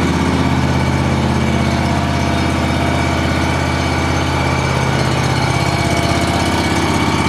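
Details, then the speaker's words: John Deere 757 mower, first start of the year after sitting since last fall, fresh gas: fires right up into a steady, even low drone with no knocks, misses or surging; normal idle. "fired right up guys I have to say that I really have no complaints with this mall or whatsoever"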